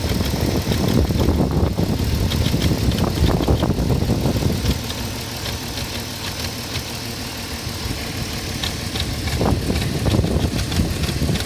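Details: 2004 Porsche Cayenne 3.2 running on LPG, cold idle: rough clattery uneven rattle over a low rumble, easing a little midway; noisy when cold, cause unclear.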